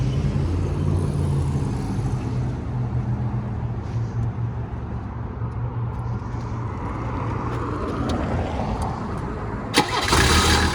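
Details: 1985 Mercedes 300D turbo diesel, long unused, with a new battery, brake booster and vacuum pump; catches and settles into a steady low rumbling idle with no knocks or misses. Normal start and idle.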